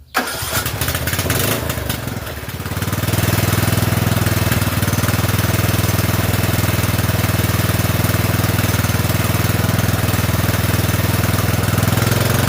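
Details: Poulan 12538 riding mower, 12.5 hp engine, after fitting a new carburetor (old one leaked fuel into crankcase) and resealing gasket: cranks, catches after a couple of seconds and settles into a steady, even single-cylinder idle with no misses.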